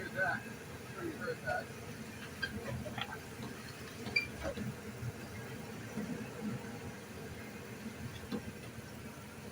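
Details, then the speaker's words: Ford Econoline van idling while braking, reversing and going forward: short scattered creaks and squeaks from the front end, from worn radius arm bushings, before replacement. "yep creaking sounds that's what you're getting that's the problem we're having"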